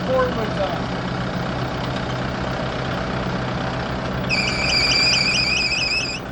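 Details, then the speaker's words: Kubota broom tractor diesel idling during a pre-trip inspection: a shrill warbling squeal pulses about four times a second from a bad accessory pulley; the pulley that keeps stopping identifies it; engine then switched off. "All right, I turned this off cuz I don't want to hear that belt squealing all day."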